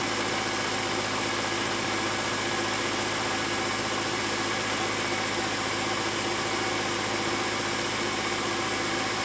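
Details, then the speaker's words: Old oversized gas furnace on a no-heat call, plugged in and started: constant even motor hum with steady airy rush, no rattle or wobble; inducer runs normally before igniter glows. "all right there goes the inducer motor then it should glow it should glow in a minute"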